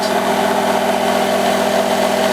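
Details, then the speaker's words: Electric motor on a dyno test stand after its speed was turned down to 2,000 rpm. Braking torque is at 0.35 Nm; unregulated stall is about 0.45 Nm. A steady, strained hum with a constant tone: the motor is labouring near stall torque. "you can see that the torque is now at 0.35 Newton meters and we can already hear that we are approaching the stalling torque"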